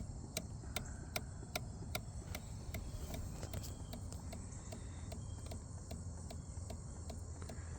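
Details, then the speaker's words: 2019 Kawasaki Ninja 1000 (ZX1000) under rebuild, key-on on battery, engine not running: sharp even ticks two or three per second, a pumping-like noise up front; owner suspects something loose or shorted, cause unknown. "I might have to dig around here and see if something's loose cuz that's what it sounds like to me. They like looser shorted."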